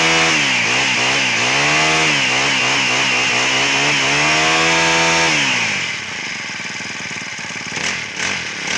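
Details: Honda GX35 brushcutter engine after repair with genuine parts, following a complaint of dying during use: small four-stroke revs up and down smoothly with even firing and no misses or rattles; runs normally.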